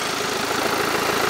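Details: BMW 320d Touring diesel after repair of worn-away gear teeth, shifting drive/reverse that previously thudded; steady even idle, no thump or clunk on engagement, driveline healthy.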